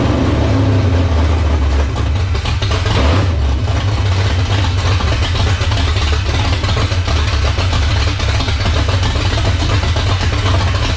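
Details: 1978 Dodge Warlock truck, 360 small-block stroker V8, first start: steady idle burble with crisp clean rev rises, no knocks; healthy, 75 psi oil pressure at idle, high-volume oil pump.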